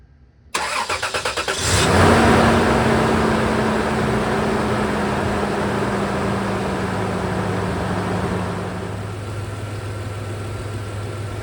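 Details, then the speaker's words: Toyota 4Runner 3rd gen (1996-2002) 3.4L V6 5VZ-FE after new spark plugs, OEM plug wires and coil packs: brief crank catches quickly, flares to a fast idle, then settles to a steady, even idle with no stumble or miss. "Super proud of this job and I'm excited to hear this motor purr with all of this new equipment ready to get going."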